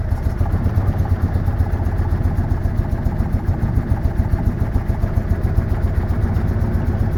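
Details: Citroën Méhari air-cooled twin idling after exhaust leak fixed with new gaskets; fairly even beat, roughly three and a half pulses a second, no puffing or ticking; sounds healthy.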